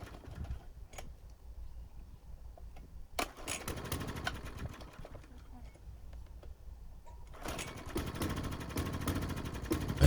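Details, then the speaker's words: Mountfield lawnmower with a Briggs & Stratton engine after the fuel tank and carburetor unit was cleaned: the primer is pressed, there are quiet cord pulls, then it catches and settles into a steady rough run. It starts and keeps running. "okay so I'm just gonna give it a try just gonna Prime this pump here a red button on the side and just crank it over see if it starts"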